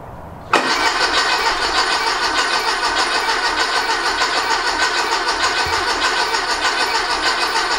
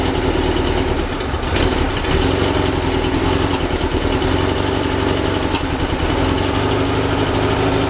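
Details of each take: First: Rebuilt 1835cc VW air-cooled engine, first start attempt after rebuild; starter spins about three turns a second but never catches; fuel present, no spark, electronic ignition module suspected. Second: Rebuilt 1835cc air-cooled VW engine, first start after rebuild, good oil pressure: even, steady idle with a smooth regular beat, no knocks or misses; runs with no real problems.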